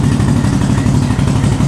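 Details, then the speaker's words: 2021 CFMOTO CFORCE 800 ATV idling with a choppy, uneven pulse and creeping with no throttle; the primary clutch bearing is failing, causing squealing, secondary engaging at idle and no shifting until the engine is shut off. "all right that's the bearing in the primary clutch and it will not shift until you turn it off and your primary stops spinning then you can you're able to shift so that squealing noise and not being able to shift is your little bearing on the primary clutch"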